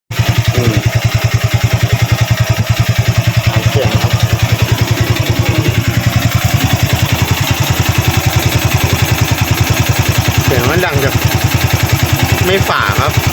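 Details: Used Honda Wave 110i, single-cylinder: even thumping with dry metallic chatter from the cylinder head, suspected slack cam chain or tensioner problem, to be torn down.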